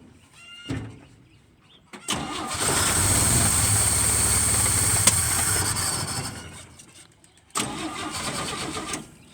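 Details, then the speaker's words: 1966 GMC pickup, 250 cu in six-cylinder, SM420 four-speed, first start in over 10 years: cranks, catches, runs a few seconds then fades and stalls, second crank follows; owner suspects fuel starvation, clogged filter or fuel pump, unconfirmed. "how could it run out of gas act me like it quit getting"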